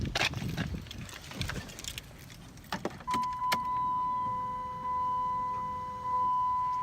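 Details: 2009 Dodge Charger after fuel pump replacement (old pump silent at key-on, car cranked without starting): steady mid-pitched hum about four seconds at key-on, new pump priming normally.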